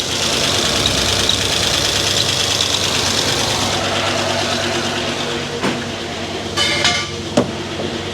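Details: Freshly rebuilt LS4 5.3 V8 in a 2006 Monte Carlo SS on its first start: steady hiss and chirp from the accessory belt riding over the idle.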